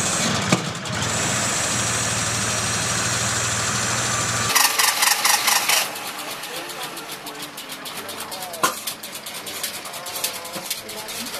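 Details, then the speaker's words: Datsun 280Z after fuel pump replacement, with poor connectors and a ZX-version air flow meter; catches and runs roughly, then cuts out and dies, sounds clogged; ignition parts and airflow meter to be replaced. "Ok, it start. For a while. Like 1min. And, yeah, it dies. Sound like it's clogging"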